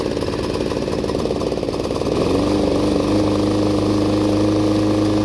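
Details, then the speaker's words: Roadside-find Snapper commercial mower, 6 HP Subaru single, after carburetor blown out (previously ran only on starting fluid): catches after about two seconds and holds a steady even drone with no misses or surging; normal running. "i opened up the car blew some air through it runs like a champ so let's fire it up"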